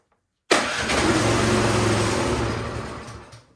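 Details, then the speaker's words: Troy-Bilt snowblower, choked, key in run, electric start after priming: fires straight away, runs rough about two seconds, then fades out and dies; spark present, so the fault lies in the carburetor. "okay we do not need to test for spark it is firing um but it's dying so that tells me there's something going on with the carburetor"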